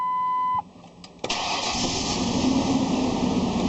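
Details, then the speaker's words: 2001 Ford Explorer just after a fuel filter replacement, fuel pump primed several times: door chime, brief crank, then it catches at once and settles into a steady, even idle; a clean start with no leaks seen. "Okay, she's running."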